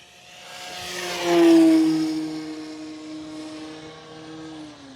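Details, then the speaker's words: Durafly Carbon Arcus 1000mm RC plane on 4S, maiden flight under hard throttle: whining motor with rough buzzing edge swells as it passes, then pitch sags; vibration in the drivetrain. "okay but you guys can hear that vibration [Music] now sounds like some sort of a meat slicer that needs to be"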